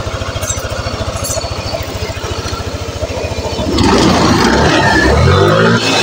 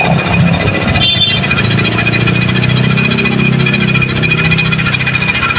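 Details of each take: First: Yamaha NMAX (old model) scooter engine idles smoothly with an even, steady pulse, then revs up cleanly without harsh noise; normal idle, checked while diagnosing a rough/grinding engine noise (suspected bearings or one-way starter clutch). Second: Yamaha NMAX (old model) scooter engine with a coarse, steady growl (ngorok) in all conditions; suspected causes are the transmission shaft bearing, crankshaft bearing or one-way starter clutch (one-way found normal); worn CVT-side bearing, fixable by opening the front cover without engine teardown.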